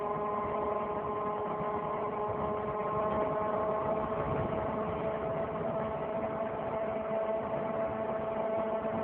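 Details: 2003 Saturn Vue 4-cylinder AWD, with the check engine and coolant lights on: a steady drone with a tone around 600 Hz over road noise from the front driver wheel area, following wheel speed. A hub replacement did not fix it, and the cause is unknown.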